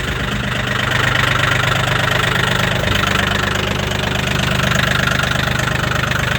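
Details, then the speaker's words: Mahindra 1635 HST cab tractor diesel, 35 hours, cold start at -22°C after 1.5 hours plugged in: hard, clattery knock about 214 per minute with a slightly uneven beat. Rough idle after cold start. "started right up runs rough still good"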